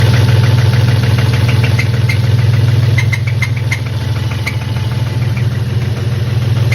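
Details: BMW M52B28 engine at idle: steady, fairly even knock around three per second over a low rumble; engine knock, owner suspects a spun bearing, not confirmed.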